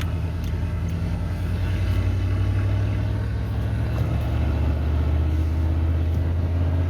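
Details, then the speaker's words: 1988 OBS truck after a new ignition module, cap and rotor to cure a misfire, warmed up and on a road drive: steady, even low rumble with no stumbles, pops or skips; running much smoother. "Put it back on late last night, and fixing to fire it up and see what it sounds like now. Running a whole lot smoother than it was last night."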